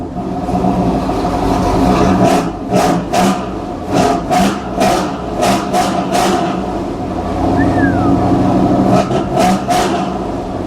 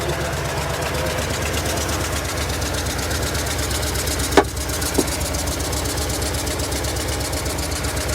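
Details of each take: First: 2016 Toyota Tundra TRD Pro-owner's replacement vehicle, already started and idled up: engine catches and revs smoothly through repeated blips, rising and falling cleanly with no knock or miss; sounds healthy, though owner fears it won't restart once it dies. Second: Just over 110,000-mile V8 replacement vehicle at idle, sounding better than yesterday: rough uneven idle with irregular stumble and sharp ticks, missing; knock starting; owner guesses bottom end.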